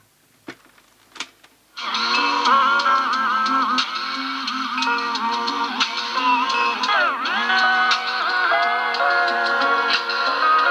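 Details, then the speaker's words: Pye 3214 cassette recorder with a wobble on the sound; belts were suspected, and the motor was being worked on. Music plays back with the pitch slowly bending and sagging, a clear wow in the tape drive. Cause suspected, not confirmed. "um so wobbly i thought it would be"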